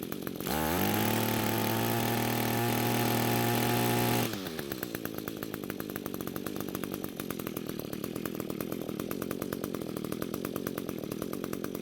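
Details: String trimmer that had spark, some compression and fuel but wouldn't start, now running after suspected bad coil replaced and fuel flow confirmed, carb untouched: catches at once, revs high and steady about four seconds, drops to even idle; runs properly.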